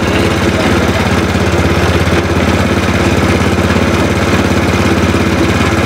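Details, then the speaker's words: Spice grinding machine after the wobbly pulley/shaft was replaced and tightened: a steady, even motor hum with a soft regular churn about three times a second and no loose rattle. It now runs smoothly and quietly. "bawah pemirsa ini suaranya sudah halus tidak Berisik tuh searan halus tuh lihat sini"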